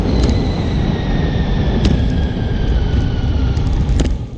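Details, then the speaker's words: Scott Foil rim braking on Mavic Cosmic Pro Carbon SL C wheels with SwissStop Yellow King pads, after the pads and brake arms were cleaned and adjusted. It stays quiet: only a faint falling hiss under heavy wind rumble. "이 방법을 이용해 브레이크 소음을 줄일 수 있고 브레이크 감을 처음처럼 유지할 수 있답니다. 자, 정비 후 브레이킹 소리 한번 들어볼까요?"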